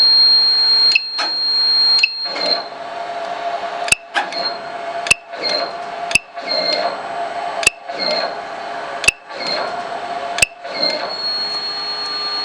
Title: Buzz Sound DCZ70 Robot